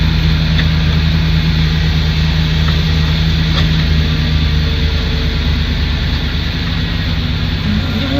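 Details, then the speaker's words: Petrol engine of a van conversion idling after a MAF sensor clean; steady, even idle with a smooth low hum and no knocks or misses. Owner had noticed it seemed to get more air than gas when pressing the throttle. Normal idle. "That sounds nice."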